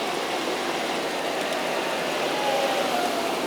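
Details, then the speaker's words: Jeep Grand Cherokee, 4.0L six-cylinder, idling, heard close up via electronic stethoscope, louder on driver's side: rushing idle with quick light clicking about four times a second, first suspected valve train noise but actually a fuel injector ticking. "well in this case it's a stupid fuel injector clicking which is actually great news for the owner"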